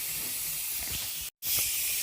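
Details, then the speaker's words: Presto pressure canner depressurizing after processing, heat turned off, waiting for the steam to stop and the indicator to drop. Steady soft high-pitched hiss with no rumble or sputter: normal steam venting. "all right so the pressure is going down um basically what the directions say is um when there's no more Steam and this little guy is popped down then that's when um we can start"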